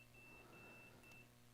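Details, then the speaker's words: PS5 that beeps once but won't power on: steady high multimeter continuity beep, briefly broken as the probe shifts, showing a short to ground near the blown fuse. "when I put probes on both sides I'm not getting continuity which tells me this fuse is blown but also there is a short coming from over here"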